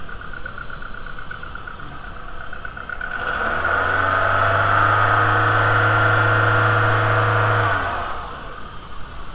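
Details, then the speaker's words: VW A3 2.0L ABA after timing belt replacement: engine revs smoothly from idle and settles back with no squeal or chirp; the earlier squealing noise is gone. "After belt replacement, we verify that the noise is gone. No more no more squealing."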